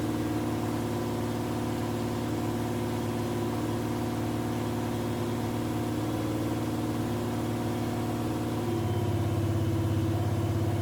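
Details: 1951 Chevrolet truck with Chevy 350 small block V8, first start after new MSD distributor, timing not yet set: uneven lumpy idle about two pulses a second, then settling lower and steadier.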